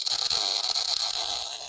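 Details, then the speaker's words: MIG (GMAW) weld bead laid by pulling the gun with slight circles: an even, crisp crackle like frying bacon with no pops or sputter. This is a steady short-circuit arc, showing the settings are right. "you can also hear that this sounds like frying bacon"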